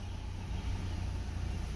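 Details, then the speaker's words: Nissan Altima 2.5L four-cylinder, 101,000 miles, codes P0011/P0300, starts then stalls: low uneven idle that lumps and sags as rpm rise, car shaking; faulty intake valve timing solenoid. "Running a little rough now. Car is shaking. Got 101,000 miles. You can hear it in the exhaust. That's about to die."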